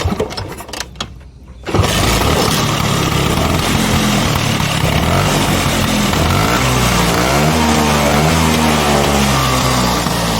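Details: 1977 Vespa Sprint 150 original two-stroke, with a leak (rembes) noted on the engine: after a couple of kicks it catches and settles into a steady, even popping idle with no odd noises; healthy idle.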